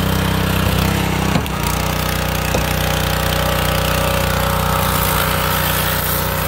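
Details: Kohler SH265 6.5 HP single-cylinder engine, bought used, repowering a pressure washer in place of a weak Honda, on test; strong steady drone after a brief bump, no miss or surge. Normal running under load.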